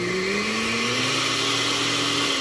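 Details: Blender being repaired, motor opened: steady high motor whine holding even pitch with a slight rise, no rattle or grinding; blender motor running smoothly.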